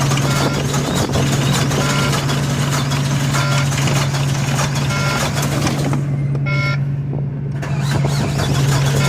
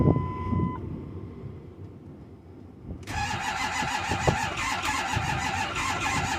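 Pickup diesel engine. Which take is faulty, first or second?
second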